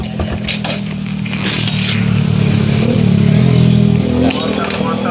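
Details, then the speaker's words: Honda Blade 110 after replacing a bent valve that had caused lost compression and weak kick-starting: fires straight away and revs smoothly with an even beat, no tapping or rattle. Normal running restored. "Teman-teman dengarkan suaranya, ini masih sangat mulus ya. Ini teman-teman dengarkan. Jadi motornya ini sudah normal kembali ya teman-teman."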